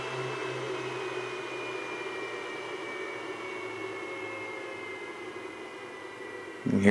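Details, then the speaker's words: Refuge LFP 100 Pro portable solar generator, pure sine wave inverter, just after powering about 1,100 W of tools: steady airy fan rush with thin whine sliding lower as the cooling fan ramps down normally; runs continuously if hot. "the fan ramps down so it's really as H as it gets you know if it gets hot the fan will run continuously"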